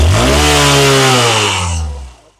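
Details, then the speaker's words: Hunk motorcycle after intake and exhaust valve (tappet) clearance adjustment that cured an internal engine noise; clean, smooth rev that holds, then dies away evenly, no tapping or rattle; healthy single-cylinder engine. "বাইকের যে আওয়াজটা ছিল আগে আর এখন যে আওয়াজটা আলহামদুলিল্লাহ দেখেন আওয়াজ আছে আওয়াজটা কত সুন্দর"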